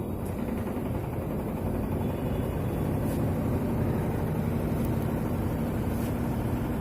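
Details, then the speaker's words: Whirlpool White Magic Pro XL 800S washer on spin after a vibrating bag was taped down with double tape: smooth, even low rumble with no thumping or knocking; the earlier noise is gone, spinning normally. "जो आवाज़ आ रहा था आवाज़ बंद हो चुका है, सॉल्व हो चुका आवाज़। जो आवाज़ पहले आ रहा था आवाज़ अभी नहीं आ रहा, प्रॉब्लम सॉल्व हो चुका है इसका।"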